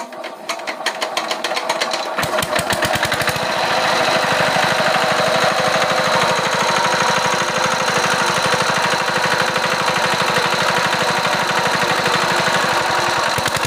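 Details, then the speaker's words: Chinese diesel engine after repair of surging (up-down) by adjusting fuel at full running speed: even chugging about three per second with no more surging; runs settled and smooth. "আমরা ইঞ্জিনের running একদম টপে এনে আমরা তেল এডজাস্টিং করে নিয়েছি তো এই যে দেখুন আর কোন আপ ডাউন নেই"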